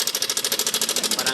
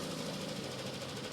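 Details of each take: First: Yamaha Aerox scooter at idle, owner complaint of a noisy engine: loud, fast metallic hammering, about fourteen blows a second over the idle, helicopter-like; suspected cam chain tensioner. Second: Yamaha Aerox scooter at idle after its original cam chain tensioner was repaired: even, steady idle with a smooth mechanical hum; the earlier loud hammering knock is gone.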